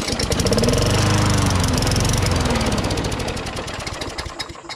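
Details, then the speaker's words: Push mower: it catches and revs briefly at high speed, then slows and dies, starting but not staying running. Owner suspects debris clogging the carburetor jets and reckons it just needs a carb clean. "it actually starts it just doesn't stay running you know so it probably just got some debris in there and the jets clogged whatever you know but it actually starts just didn't stay stay right"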